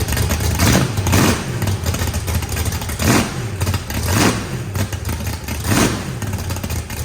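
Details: Freshly built turbocharged 409ci small block Chevy V8, added compression, first start: lumpy engine blipped repeatedly, each rev climbing and falling back cleanly to a choppy idle; strong, normal revving.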